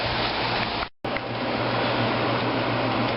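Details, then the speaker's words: 1995 Fedders window air conditioner, fan only, heard from outside: steady airy whoosh with low even hum, no rattle or scrape; normal fan operation. "I don't know if you can hear but she is running it's just the fan only the fan yeah and again the fan only pretty quiet"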